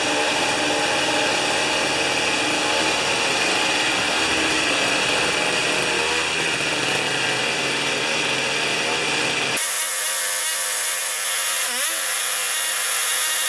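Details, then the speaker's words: Old two-stroke snow thrower, restored after years sitting, cold-started with choke and 3 primer pumps, mixture set slightly rich the day before: buzzy, even idle with steady rapid beat holding speed; healthy. "Now when I set the air mixture yesterday, I leaned it out until it was running absolutely perfectly,"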